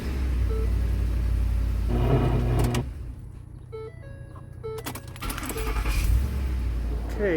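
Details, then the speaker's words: 2010 Ford F150 5.4L Triton V8 after replacing the starter motor: starter spins briefly, the engine catches cleanly and settles into a steady even idle under some chimes; normal engine start, new starter works. "it cranked and it sounds good, so I guess it works."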